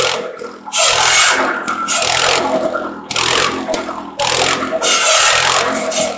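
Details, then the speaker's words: Wisconsin THD engine driving an antique buzz saw through slab wood after mouse nest cleanout: loud rasping cuts about every two seconds, engine pulling steadily through each pass and recovering between; saw rig runs fine. "so well i'd say that was a successful test run and uh of the thd wisconsin"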